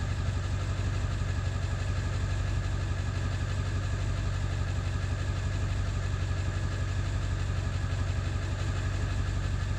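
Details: Ford 7.3 diesel running after ICP sensor replacement: deep, thumping idle pulsing about three times a second with a lumpy, uneven beat; still rough idle, cause not yet pinned down.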